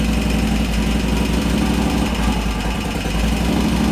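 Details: 2001 Harley Sportster 1200 conversion, Wiseco 10:1 pistons, idling after an Andrews N2 cam and S&S lifter install: the V-twin fires and holds a lumpy, loping idle with steady pulses and no clear knock or tick.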